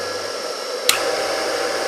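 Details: Rebuilt single-phase 2 HP (2CV) high-voltage motor switched back on before its start switch (relay) had re-engaged, so no inrush peak, holding its running current unloaded: even hum, steady whir, one sharp click; healthy.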